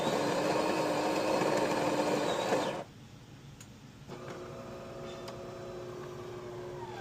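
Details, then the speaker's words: DeLonghi espresso machine (European 220 V unit on a transformer to 120 V), customer complained of loud pump and low coffee level; pulling an espresso shot in the shop, even buzzing hum for a few seconds then a clean cutoff. Pump works normally. "Okay, the pump works great. It's just normal."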